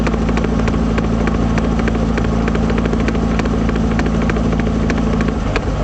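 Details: 1978 Triumph Spitfire driving: irregular light rear knocks, about three per second, following road speed, caused by a failed passenger-side axle universal joint.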